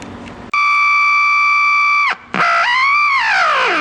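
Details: Packard Bell 35 old AM tube radio that sat outside: loud steady whistle over a second, cuts out, returns sliding in pitch. Squealing oscillation; owner suspects a previously replaced, hack-repaired resistor, unconfirmed.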